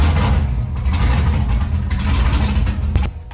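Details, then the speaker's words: Drift backup car, V8, first start after months in storage: deep lumpy rumble holding strong and even before easing off; runs cleanly and fired right up. "Ooh, can hear that moving. Not bad. Not bad at all."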